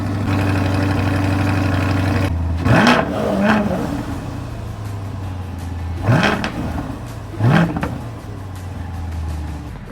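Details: C8 Corvette right after an engine air filter replacement: steady idle, then four quick throttle blips that rise cleanly in pitch and drop back smoothly, with no misses or rattles; normal revving.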